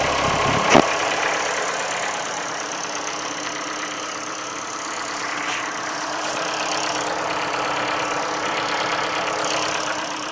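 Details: Ford Focus 3 1.6 L 125 hp engine at idle: steady light knock about three to four per second over a hissy running sound; source not pinned down.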